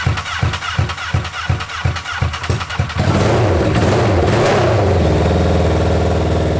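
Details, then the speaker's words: Honda N600 with replacement 2014 CBR1000RR engine, first start, open header exhaust: quick even cranking for about three seconds, then catches to a steady loud idle, no engine noise heard; runs fine. "It with the open header, it makes it a little harder to hear any engine noises, but from what I could hear, it sounded okay."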